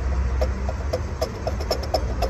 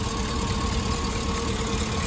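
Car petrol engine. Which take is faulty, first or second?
first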